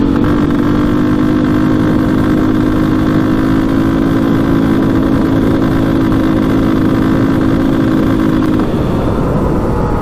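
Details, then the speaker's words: KTM 400 EXC dirt bike after repair of its bog and rough running (cause turned out not to be electrical), pulling hard under throttle with a steady drone, then easing off. Faint backfiring suggests it is slightly lean; owner may fit a 165 main jet. "all right so finally this thing's fixed I might put a 165 Main in it cuz it sounded a little bit lean very hardly noticeable but uh it's it flies now so I'm really happy with that"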